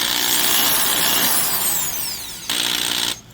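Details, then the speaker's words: Porter-Cable PC70THD half-inch two-speed hammer drill: motor whine winds down with loose buzzy rattle, armature and commutator moving in a sloppy front needle bearing despite shimming; design flaw. "It's the actual commutator rattling around. That. It's a shame. It's a design flaw, really."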